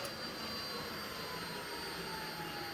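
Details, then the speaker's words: Toyota Prius Gen 2/3 inverter and transaxle on OpenInverter FOC with the resolver offset at 0: a steady, thin electric whine as the motor spins on only 3 A of manual d-axis current, showing the resolver offset is wrong. "And I'm going to go back to 0 here. And okay, so that means that we are in that large section of our graph where a small value of manual ID is sufficient to cause the motor to spin."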